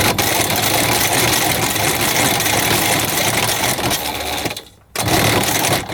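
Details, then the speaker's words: 1998 Air Commander 3 100HP hovercraft, cranking after reassembly with a loose starter mount: harsh, continuous grinding with a brief pause; there is no spark and the starter is very hot, and a broken starter is suspected. "think there's I think our starter shot you can hear it grinding I should not be doing that"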